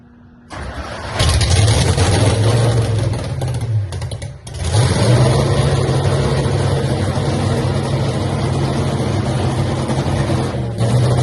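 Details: Hemi Cuda funny car, first fire-up: catches and settles into a loud, lumpy but steady idle with a firm low throb; sounds healthy, normal start and idle.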